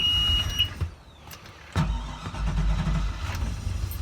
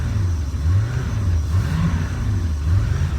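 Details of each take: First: 2005 Bayliner 219SD boat engine: warning alarm beeps, starter cranks briefly before the engine catches and settles to a steady rumble; it has been a little stubborn to start, then good oil pressure and idle. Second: 2005 Bayliner 219SD boat engine, warmed up after recent run, throttled up slightly: deep, steady exhaust burble rising and falling smoothly; engine healthy, idle and charging fine.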